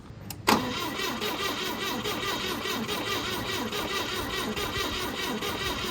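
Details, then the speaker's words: 1971 Volvo 142, B20B engine, brake booster line off, coil had got warm: the starter cranks steadily at four or five beats a second with no firing. Cranks but won't start; owner suspects lost spark from a coil issue. "possible I don't know I mean we'll give it a shot again but I think I think we're having a coil issue I think we lost our spark"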